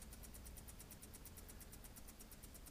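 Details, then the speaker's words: Oliver 770 industrial tractor, cold start not catching easily without ether: quick, even ticking, about seven a second, from the electric fuel pump running normally. "I'm running the fuel pump right now. I hear it ticking."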